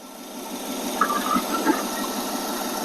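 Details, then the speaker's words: AMC 287 V8 Rambler after fixing vacuum leaks and rebuilding the carburetor, timing set, throttle plates closed: low, steady idle about 725–730 rpm, smooth even beat with no misses or hunting; idling cleanly. "well this part of the uh repair work I'm going to call it good that already just sounds awesome compared to what it was I mean this is a huge Improvement getting rid of all those vacuum leaks and rebuilding the carbureto"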